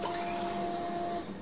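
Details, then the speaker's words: Coolant pump on a 5-axis dental CNC machine, checked after the machine was dropped by movers: steady rushing water with a faint even pump hum, no knocking or rattle; pump working with good flood-coolant flow. "you know we've got the water pump to work got it like that"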